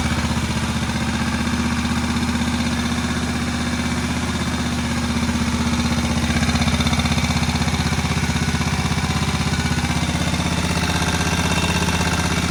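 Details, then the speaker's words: Moto Guzzi single shed find running for the first time in about 40 years after head work, still needing some adjustment: slow, even thump about four beats a second, steady and unbroken. Healthy normal idle. "So here it is, sitting there, ticking away. I'm pretty pleased with that. First time it's run, I believe, since the mid-80s."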